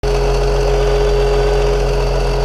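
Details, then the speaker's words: 2003 BMW X5, 3.0 M54 engine, after a DISA valve rebuild whose parts failed prematurely: loud steady six-cylinder idle with busy mechanical chatter; DISA valve rattle. "yeah it's the D valve that'll be episode one all the work we do on this thing and it still sounds like a piece of"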